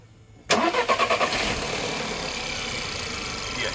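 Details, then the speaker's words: 2011 VW Polo MK5 1.2 TSI (CBZA), about 100,000 km, at startup: quick burst of clattery rattling for about a second before settling to steady idle; worn timing chain/tensioner rattle, before replacement with updated revision kit. "those uh timing chains usually they go bad they start to rattle in making uh uh strange noises"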